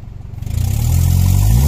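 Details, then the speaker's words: 2012 Hyundai Accent automatic, after an ECU replacement: the engine picks up cleanly from idle and revs smoothly with no stumble, where it had stalled on throttle before. Power restored. "Rev natin, ha. Mamamatay ito pag inapakan, kanina. Oh, smooth. Siya pa. Smooth."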